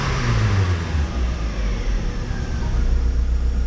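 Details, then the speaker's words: JDM-front DC2 Integra idling after replacing failed fuel pump with DW200, plus new plugs, wires, crank and cam sensors: low, steady idle without dipping or hunting; previously nearly died at idle; fixed. "Yeah, smooth idle afterwards too. Before it would like act like it wanted to die and then just come back."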